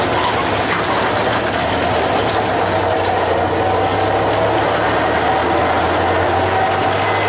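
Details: Traditional hot rod "Doris", first run after manifolds and radiator were refitted and water and oil added: a steady, even, fast patter at constant speed with no knocks or misses; smooth-running engine.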